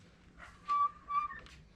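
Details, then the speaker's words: Removed transmission, smaller shaft spun by hand: two short high squeals in line with the pump; pump ears intact, metallic sludge found in torque converter splines. "if we spin the smaller shaft you can hear a squealing like right here in line with the pump or well now it's not squealing there it goes"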